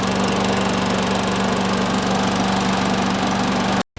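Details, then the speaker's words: Sears Craftsman 917.370610 self-propelled mower, cold start the next day, with no air filter and milky oil awaiting change: a steady, even single-cylinder drone at constant speed with no misses or knocks, then cut off; normal running. "Let it warm up a bit before I drain this oil. Let's see if it starts much better now. There we go. Let it run a little bit, and then we'll dump the oil out."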